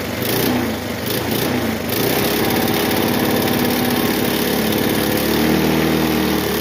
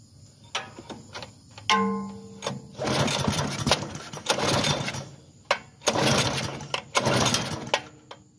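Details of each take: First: Bluebird aerator small single-cylinder engine after carburetor cleaning, diaphragms still working: runs on its own power with a steady, even buzzing fast idle and no misses; running fine. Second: Bluebird belt-driven aerator small engine, fresh gas, non-runner from purchase: several rough pull-start bursts, catching briefly then dying each time; fuel starvation from a clogged carburetor needing cleaning.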